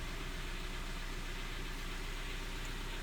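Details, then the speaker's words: 2012 Kia Forte with a random intermittent no-start, restarted after the engine was fully cold and the battery read 12.88 V: it starts right up and idles at about 900 rpm with a low, steady, even rumble, no stumble or misfire, and no check-engine lights; the owner is unsure it is fixed. "see if it'll start now starts idle's at a pretty good 900 rpm no check engine lights it might be fixed again time will tell"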